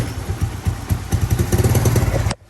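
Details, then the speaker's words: Kawasaki Mojave 110 ATV, fresh gas, new lines and filter, old plug, oil overfilled, started on choke: uneven lumpy low putter then abrupt cutout; runs rough on choke and dies. "It didn't like the choke."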